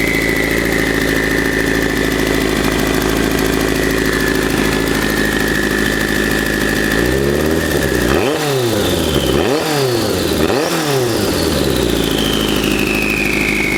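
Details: 1984 Kawasaki GPZ750 Turbo, fuel-injected, first start after sitting under a tarp since 1989; rusty fuel tank, dirty injectors. Uneven, lumpy idle with stumbles and throttle blips, then settling into a steadier beat; rough idle.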